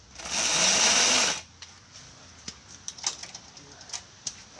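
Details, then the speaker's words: Homemade paddock roller starter on a race bike, in gear: a high electric whir of about a second that fades, with no compression beats. The motor is too weak to turn the engine; a bigger starter may be needed. "all right it doesn't have enough to uh spin it over in gear i'll put the decompression on and see we might need a bigger motor for this"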